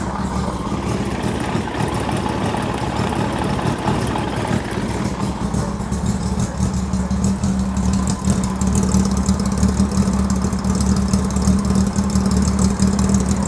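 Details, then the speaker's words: 2000 Honda GL1500C Valkyrie flat-six, heads polished and decked for higher compression, smokestack exhausts with crossover tube, has run poorly since that work: no-choke cold start settling into a slightly uneven, lumpy idle, running lean. "But ever since the guy has gotten it back, and this is no shade towards them, no shade, it hasn't ran well."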